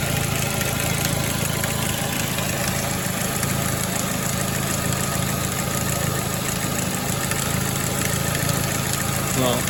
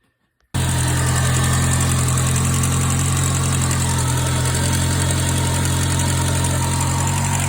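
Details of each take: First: 2006 Ford Focus ZX4 at idle on ramps, before repair: faint continuous rubbing hiss over the engine from the belt drive; worn idler pulley bearing, pulley to be replaced. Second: 2006 Ford Focus ZX4 after idler pulley replacement settles straight into a smooth, even idle with a steady low hum and no belt squeal or chirp; earlier noise gone; normal idle.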